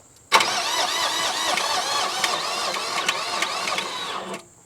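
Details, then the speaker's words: Generac diesel light plant bought at auction, cranked after glow plugs: starter whirs about four seconds with a labored, wavering pitch and never fires; slow cranking from a dead battery. "And my battery that I was so confident in is dead."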